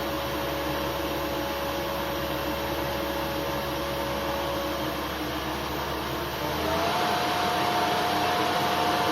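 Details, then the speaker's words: CNC mill spindle driven by a 2.2 kW (3 hp) AC motor on a VFD, new bearings, first run, 50 Hz base is about 2700 rpm: smooth whine rising in pitch with speed. Vibration felt at lower speed has disappeared, and one bearing is warming. "there's no vibration though they can feel is very good"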